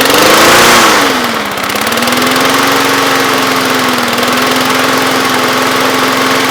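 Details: Briggs & Stratton lawnmower that previously would not start, after full tune-up (blade, spark plug, carburetor cleaned, needle and seat, carb gasket, air filter): fires, dips briefly, then holds a steady, even drone; runs smoothly.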